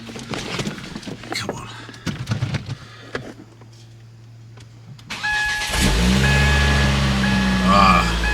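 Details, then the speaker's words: Ford Focus ST/XR5 Turbo: short crank, then a smooth, steady idle, much quieter, with exhaust now exiting at the rear and no puffing or ticking. "much quieter [Music] now and it's finally coming from the back of here"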